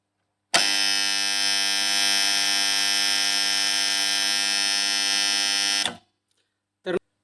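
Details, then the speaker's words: Three-phase farm motor starter making a loud, harsh electrical buzz that cuts off sharply; buzzing contactor. "नमस्कार शेतकरी मित्रांनो तुमचं जर असं स्टार्टर खूप जोर जोरात आवाज येत असेल तर त्याच्यासाठी मी एक देशी जुगाड घेऊन आलेलो आहे"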